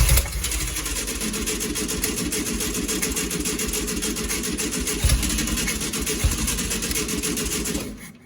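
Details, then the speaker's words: 1965 VW Beetle, long-stored, running on fuel poured into the carb: air-cooled engine runs fairly evenly about eight seconds then dies; mechanical fuel pump not pulling any fuel into the filter despite cranking. "i don't know we've we've cranked it over quite a bit and ran it for a bit off of gas in the carb and it's still not pulling anything into the filter"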